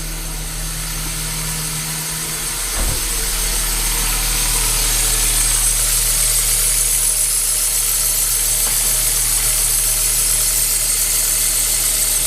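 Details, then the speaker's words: 2007 Kia Cee'd 1.6 petrol at idle with accessories off: steady high thin squeal from the alternator and accessory drive belt; later fixed by tensioning the belt and spraying belt dressing. "всем привет здесь у нас киа сид 16 бензиновый двигатель 2007 года скрипит ремень привода генератора всего остального навесного оборудования"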